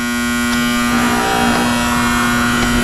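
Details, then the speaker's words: Newer 2022 AC system condensing unit during leak search: loud, steady low-pitched electrical buzz from the contactor over the unit's hum; contactor chattering badly, replacement recommended. "Oh, he left it upside down. The contactor is so damn loud."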